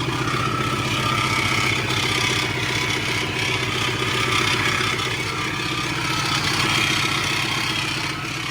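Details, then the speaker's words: Supercharged engine idling with a busy, uneven clatter over the exhaust; the exhaust manifold is still not fully sealed. Owner suspects an unhealthy supercharger but is unsure how it should sound, so the cause is unconfirmed. "that doesn't sound good at all let me go ahead and rev it and see all right now is that the supercharger yeah it sounds like it's a supercharger supercharger does not sound healthy at all"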